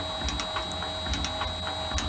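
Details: Shaper refitted with its new replacement motor, running at 50 Hz, 67 strokes per minute: steady motor hum with soft periodic ticks and clunks from ram strokes, fairly quiet and even; normal running.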